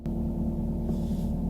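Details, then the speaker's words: 2017 Ford Super Duty, warm engine idling at low rpm as at a stop: buzzy metallic rattle over the hum that fluctuates with rpm, traced to loose dipstick tubes shaking at certain rpm; fixed with stainless steel cable clamps. "you'll start to hear it rattle pretty bad again it kind of fluctuate through the rpm so when the vehicles warmed up in the RPMs are running a little bit lower like how to stop that's when it'll start making the rattle"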